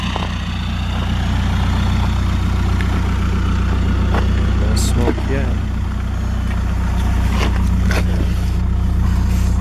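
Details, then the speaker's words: 2004 VW Golf TDI 1.9 turbo diesel, tuned, earlier smoking heavily with a suspect injector acting up: steady, even low diesel clatter, no misses or stumbles; now idling smoothly and healthy. "I'll start it up and see if that injector is still acting all funny or not. As of right now, it seems to be running pretty smooth."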